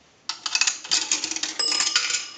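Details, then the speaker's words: 233G three-slot payphone during checkout after repair: nickel drops with bright metallic clinks, then a single clear bell ding; nickel signal rings once as it should. "A nickel. That'll ring the bell once."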